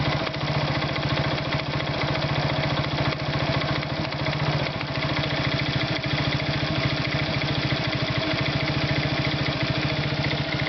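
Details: Irbis Virago 110 motorcycle idling: a fast, even tapping rides on the small single's exhaust beat. An engine knock, cause not pinned down.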